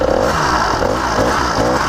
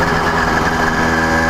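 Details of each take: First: Brand-new CDH110 two-stroke (110cc, true 85cc, 52mm iron sleeve) on a motorized bicycle, very first start: uneven, chugging beat at low speed that keeps stumbling as if about to die; running rich. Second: CDH110 (true 85cc) iron-sleeve two-stroke motorized bicycle, cruising 28–30 mph: steady high-pitched buzz, even, no stumbles or vibration; running normally.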